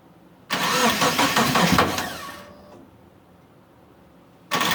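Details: Mitsubishi Eclipse after about 8.5 years sitting, fuel and spark confirmed, timing set, weak battery on charger: quick rough starter cranking for two seconds, stops, cranks again, never fires, crank no start; owner suspects the crank position sensor.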